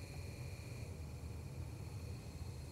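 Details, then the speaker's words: Small brushed electric motor running with no load, heard near a sound meter: soft even low hum with faint steady high whine from commutation and internal fan, no knocks or scraping; normal running. "there's no load on this thing so it's not making any noise um for that but it does have a little fan inside and it does have you know the commutation noise"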